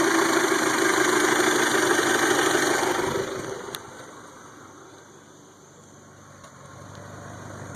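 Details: 1992 Toyota Camry 4-cylinder with rebuilt engine: revs then settles to a lumpy idle with an uneven stumble every few beats; misfire.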